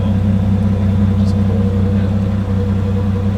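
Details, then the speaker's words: 1947 Chrysler Royal in damp rainy weather, fired without touching throttle: deep steady rumble, even beat, no knocks or misses; idling smoothly and much quieter than before. "it used to be like now it's like okay that's that's amazing that's how it should run oh got on oh and it is so quiet there's no it's just like oh now it's a different thing yeah"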